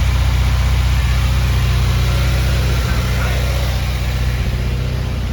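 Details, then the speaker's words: FA20 engine in a build with an oil leak, idling while data-logging; deep steady idle with a slightly uneven, occasionally stumbling beat, still misfiring a little, with misfire counts rising on cylinder four. "still misfiring a little bit a little bit but that sounds pretty damn clean"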